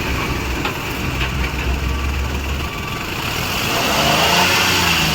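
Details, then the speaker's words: Maruti Suzuki Wagon R, no check light, running on petrol before repair: revs up smoothly, even pulse, no stumble or knock; petrol mode fine, misfire occurs only on CNG. "अभी मैंने petrol प किया है और engine अभी silent हो गया race करिए जरा रेस"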